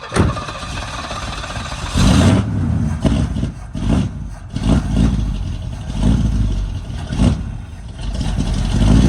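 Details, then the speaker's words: Barn-find Pontiac GTO V8 after decades sitting, newly fitted HEI distributor, timing suspected too low: blips and stumbles through uneven revs with lazy, hesitant pickup; rough running, cause not confirmed. "Time's too low. Time's way too low, sounds like. Time's too low."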